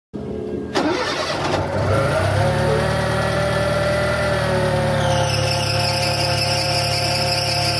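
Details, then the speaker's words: Fiat Palio 1.0 Fiasa: at start-up a steady high squeal rides over the idle from the worn accessory (alternator) belt; fix is replacing the auxiliary belt. "Qual era o problema? Você precisa trocar essa correia aqui, auxiliar."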